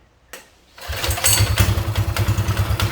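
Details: CT200U go-kart/minibike engine, first start after fitting custom-welded exhaust pipe and stage 1 cold air intake: brief crank, then even quick putter about three pulses a second, surprisingly quiet; clean, healthy start.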